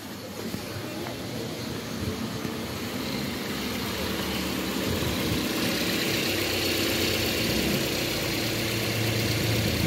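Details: Toyota Corolla Altis after hard-start delay, blamed on air in the injectors delaying fuel delivery: engine fires and settles into a steady, even idle with a smooth low hum, no misses or knocks; normal idle.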